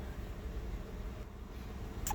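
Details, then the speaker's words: Jeep JK idling rock solid after new spark plugs and coil pack to cure a misfire (93 misfire counts before); cylinder one still showing slight activity, idle now steady and even. "as you can see the thing Rock Solid now"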